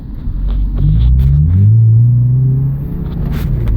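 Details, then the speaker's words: 2000 Subaru Legacy, high mileage, problem worse when warm, pulling away from green light, windows up: deep drone swells unevenly and lags before pulling; hesitation under acceleration, cause unknown. "A little bit of delay right there."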